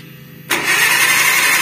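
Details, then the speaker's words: KIA Visto that broke down on the road, cranked: starter spins fast and even with no compression chuffs and no firing; suspected broken timing belt, to be confirmed under distributor cap, no compression. "Nah itu loh Kenyataannya memang mesin gak mau nyala dan terdengar suara cenginge cengenges perkiraan kami Lur atau prediksi kami ini masalah di timing beltnya yang putus"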